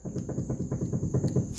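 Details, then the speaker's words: 1983 Mercedes 300D (W123) front wheel bearing with adjusting nut backed off; light, dull clunks about four per second as the hub is rocked. Bearing play, fixed by tightening nut hand-tight until play is gone, then locking. "Now, we're going to back it off. Now, here's how you adjust it. You hear there's play in there."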